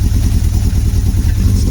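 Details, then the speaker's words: Motorcycle started after sitting unused a long time, on choke with clutch in and air filter removed; deep uneven chugging, stumbling as the second cylinder struggles to come in, rough running at first start. "Here we go. It'll sound a bit rough to start with, though."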